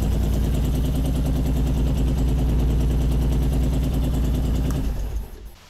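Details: 2006 Honda VTX1800 big twin after a fix for top-end ticking that followed dealer work, worst from the front cylinder; even lope at idle, about three beats a second, no ticking, now real quiet, then cuts off cleanly.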